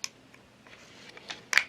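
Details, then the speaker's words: Olympus Stylus Infinity Zoom 115 DLX 35mm film camera at power-on: short whirring motor bursts and sharp clicks as the lens extends and the flash pops up; normal lens extension and flash pop-up. "shut down position the Pentagon lens extends flash comes out and if we get the lens way out we get to 115 position"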